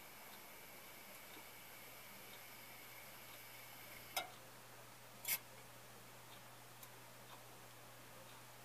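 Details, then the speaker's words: Refrigerator fitted with a new SUPCO solid-state defrost timer, tested with a probe to speed the cycle: quiet room with a low fridge hum, then two crisp clicks about a second apart as the timer switches normally; compressor not yet running. "click I think it clicked off already that compressor is not running yet"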